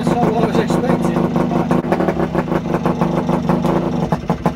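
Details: Kawasaki AR125 two-stroke motorcycle, first start after two to three years unused, during basic service and carburetor cleaning: uneven crackling beat around three pops a second, rough but catching and running.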